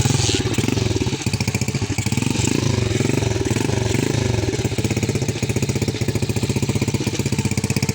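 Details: DIY-restored motorbike started after a broken wire was found: small single-cylinder engine fires up and runs with a steady, even low putter, no misses or knocks; sounds healthy now.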